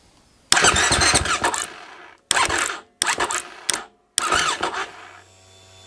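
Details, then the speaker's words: 2021 GasGas MC450 dirt bike that wouldn't start: starter whirs in short bursts, cranking sometimes and not others; owner found a relay under the seat rubbing on the seat bottom, suspected cause of intermittent cranking. "Oh, there it goes. Sometimes it will click, sometimes it won't."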